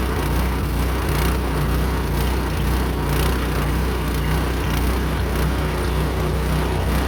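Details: Meec SN210 snowblower that kept sputtering and dying, now running: steady, even engine drone with low constant beat, no knocks or misses; runs smoothly.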